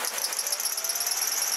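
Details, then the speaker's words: Piercing, high-pitched, steady screech with fast flutter; serpentine drive belt squeal from an old, glazed belt slipping on its pulleys or a tensioner not giving enough tension; often at startup or heavy acceleration. "that comes from a serpentine or a drive belt is pretty unique and it comes from this drive belt either becoming old and glazed and slipping on the pulleys"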